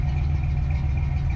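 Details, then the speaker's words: Foxbody Mustang with ignition timing not yet set: the idle lumps along unevenly with a deep, irregular chuff and no rhythm. A rough idle; the owner even wonders about the camshaft. "so listen closely to the way this sounds it doesn't really have a rhythm to it right now"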